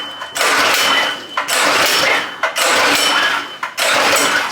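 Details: Predator 212 engine on a vintage go-kart, choke on, good spark, old fuel, carburetor not yet cleaned: three sharp pull-cord rips about a second apart, each dying with no firing. Cranks but won't start; a dirty carb is suspected.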